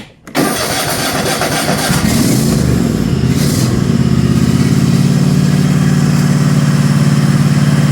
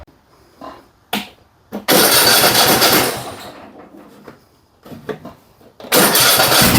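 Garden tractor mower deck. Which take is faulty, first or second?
second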